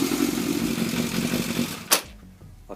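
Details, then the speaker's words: 24-year-old Yamaha FZS600 Fazer idles fine on its stand, but when taken off the stand and moved the engine cuts dead with a clunk; intermittent electrical fault at the ignition switch wiring. "anyway it sits and idles absolutely fine but if I take it off its stand and move it well I'll show"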